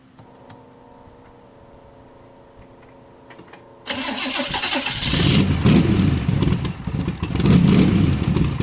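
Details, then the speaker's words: Big block Chevy 454 in a barn-find T-bucket, started with baffled exhaust tubes fitted; quiet ticking, then the V8 barks into life and settles into a deep, muffled, even rumble with a couple of blips, healthy. "All right, I'm going to fire it up real quick so you can hear it with the tubes on and you can remember what it sounded like."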